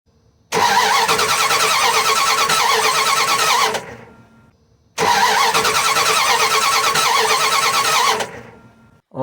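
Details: Dodge Ram/Dakota 3.9/5.2/5.9 gas engine: two cranking bursts of about three seconds with a steady starter chug near three beats a second, never firing. Coil is good but spark at the distributor is very weak; distributor suspected; crank, no start, no spark.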